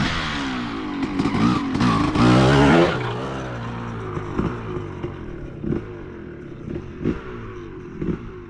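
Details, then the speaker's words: 2003 Honda CR250R two-stroke dirt bike, low on fuel, idle screw adjusted: revs up then pitch stalls and falls back in short blips, won't rev out cleanly; bogging at high revs, owner suspects power valve adjustment or loading up. "Runs pretty good other than doesn't want to be on the top end at all."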